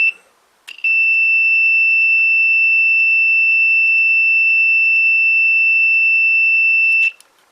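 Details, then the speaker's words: Old Hornby Class 101 three-car DMU model loco that stopped running: steady high continuity tone about six seconds, about 1.8 ohms, showing track/controller-to-decoder connection is okay; low-resistance path. "So it would seem that the connection between the track or the controller for this through to the decoder is okay."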